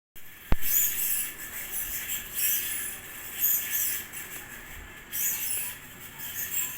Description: Here's my GMC BM-503 type ceiling fan after 9 years usage, now that bearing is getting noise, but it keeps blowing enough air